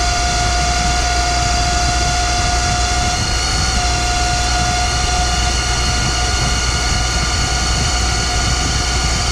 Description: We take a look at the noise in my Boyar Schultz Challenger Surface Grinder.